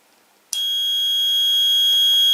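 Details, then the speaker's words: Automotive/motorcycle relay bench test, multimeter continuity across the normally open contacts while energizing coil pins 85/86: steady high beep for about two seconds, stopping on release; contacts close cleanly. "Si yo ahora lo energizo, debería de sonar, mirad. Y si lo suelto, deja de sonar."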